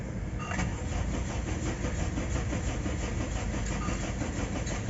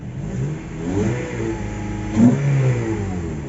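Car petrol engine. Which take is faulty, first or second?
first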